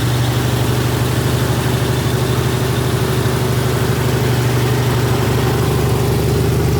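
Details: Freshly rebuilt 1977 Toyota 2F engine in FJ45 (new rings, bearings, shaved head, new carb, headers), 1,500 rpm 15-minute break-in; deep, even rumble, no tapping or misfire, ran with no issues apart from minor coolant leaks: normal fast idle.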